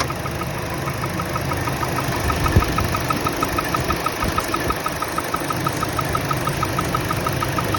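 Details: 2014 Chevrolet Trax 1.4L turbo, same engine as Cruze, at idle: light high chirping squeak about three times a second under the hood cover, cured by tightening loose spark plugs; a separate squeak occurred with AC engaged.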